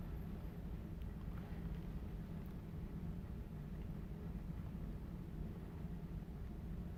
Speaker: everything looks good there are no leaks that I can hear and my gauge has not really moved